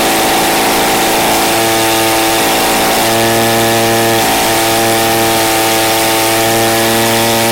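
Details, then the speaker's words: Redmax BCZ2460S two-stroke string trimmer running: high buzzing whine jumps in speed twice within seconds instead of holding steady; uneven running, cause not yet clear. "That's not supposed to happen. Let's see. Does that sound normal to you guys?"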